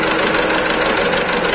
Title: Volkswagen Vento 1.6 TDI | P020200/P0202 | Engine Misfire Cylinder #2